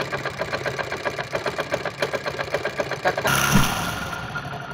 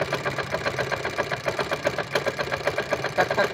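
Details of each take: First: 1999 Hero Honda Splendor Plus single-cylinder, after magneto-side repair of engine noise: even idle about four beats a second, no rubbing or scraping, engine running free; normal idle. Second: Hero Honda Splendor Plus, 1999 model, noise from magneto side at idle: uneven ticking scrape about two and a half per second; magneto rotor rubbing the stator.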